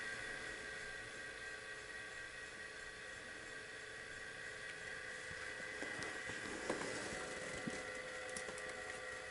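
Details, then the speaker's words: Daewoo VHS VCR after replacing a capacitor: soft steady hum under light tape hiss, no speed wobble, running at the right speed; audio output initially miswired. Normal playback running. "so the capacitor has done the trick because the capacitor is now running that capacitor was replaced is now running at the right speed"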